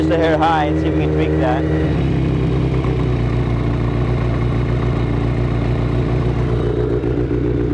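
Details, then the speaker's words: 1983 Kawasaki GPZ550 garage find, four-cylinder, after carb rebuild with new float needle and seat, Kerker exhaust, some choke: steady even burble at idle with no misses or knocks; runs healthy. "okay so we got the bike running nicely it sounds fantastic everything's put back together the Kerkar exhaust sounds like a really nice exhaust system on this bike"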